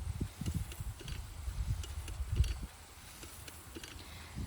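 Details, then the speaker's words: Travelling irrigator at dairy farm effluent pond, running: faint irregular low ratchet clicks under outdoor noise, showing it is travelling forward normally; no clicking would mean it turns without moving. "the sign that the our Gator is moving so if you're moving their Gator shifting their Gator and it's not making that noise it means that it's not moving so it's turning but it's not moving forward so it stays in the same spot"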